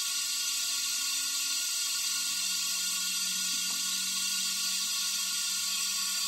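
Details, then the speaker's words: Leak-down test at 100 psi on a Kohler CV25 engine in an older Ferris mower, valves closed: continuous high hiss of air escaping through the carburetor with a faint low hum; 10% leakage from an intake valve not seating. "so now our cylinder has 10 percent leakage and it's coming through the carburetor here so these valves are are closed so I shouldn't be getting that much air coming back up"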